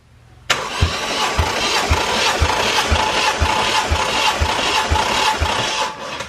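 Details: 1JZ VVTi (JZX110 single-turbo, drive-by-wire) engine cranking on starter during compression test with plugs out, fuel/ignition disabled; even, regular pulses about two per second, reading 180 psi on every cylinder, healthy even compression after engine verified running.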